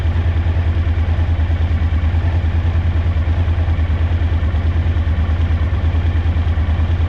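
Low, lumpy idle with an uneven throb about three times a second; one cylinder is dropping out, a misfire on the twin.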